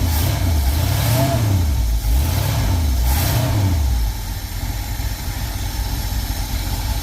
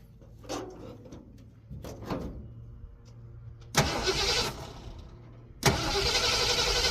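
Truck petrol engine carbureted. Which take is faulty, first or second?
second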